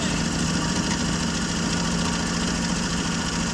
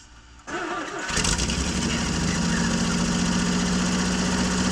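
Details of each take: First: 1965 Jeep Wagoneer, original 3.8 L 230 cu in overhead-cam six, first start after 20 years of sitting, running after being flooded with too much gas: even, continuous idle with a steady low hum and no stumbles. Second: 1965 Jeep Wagoneer, original 3.8-litre 230 cu in overhead-cam engine, after refitting the distributor, gapping the points and setting the valves, first start after 20 years: brief cranking, catches in about a second, fairly steady slightly uneven idle.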